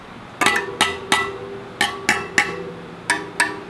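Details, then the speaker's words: Rad City e-bike spokes plucked during assembly: a series of bright pings, one noticeably lower in pitch than its neighbours. That spoke is not as tight. Loose spoke. "Oh, you hear how that one's lower pitch? Not as tight."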